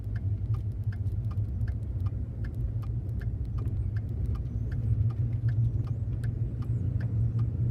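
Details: 2014 Ford F150 3.5L EcoBoost, 95,000 miles, chirp started halfway home after first towing a 30-ft camper 150 miles, a week after an oil change: sharp, evenly spaced chirps, two or three a second, over low idle rumble near the passenger-side turbo; cause unknown.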